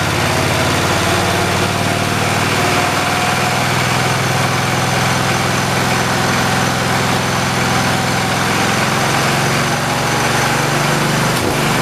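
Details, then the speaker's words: 1973 112 tractor small single engine, after points, coil, condenser and carburetor replacement, throttled up: uneven stumbling beat with occasional skips; misfire under throttle, worse with clutch pushed, cause unconfirmed. "Let me go on ahead and throttle it up for you guys so you can listen to it run. You can hear it. It's kind of got a miss to it."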